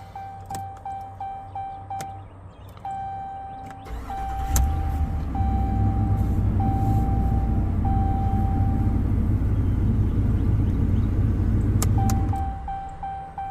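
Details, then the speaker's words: 2019 Ram 1500 5.7 Hemi after starter replacement (old starter screamed on bench test, forced daily jump starts; battery slightly weak, charging fine): door chime, quick crank, V8 catches cleanly to steady even idle, then shutdown. "There you have it. A failing starter caused her to have to jump her car off every morning, as she reported, or anytime she wanted to go somewhere."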